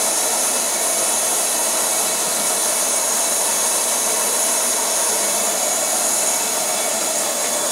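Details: MSR Whisperlite Universal stove fed by a Primus Himalaya Omni Fuel pump on an MSR bottle, fuel valve wide open. A steady, even hissing roar at full flame with no sputter or surging; the burner runs cleanly.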